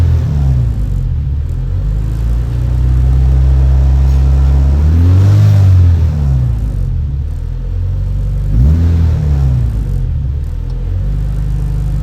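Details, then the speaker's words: Honda Civic EK with check engine light and high idle (IACV reportedly cleaned), warmed to temperature: idle climbs to about 1400 rpm and keeps hunting, surging up and dropping back instead of settling. "Umabot na ng 14. Sobrang taas nito. Tapos nagba-bunce ah."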